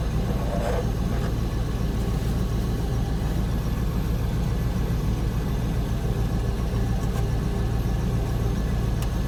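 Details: Range Rover P38 idling after start: a tinny buzzing rattle from under the vehicle rides on the steady low idle, traced to the muffler heat shield resonating.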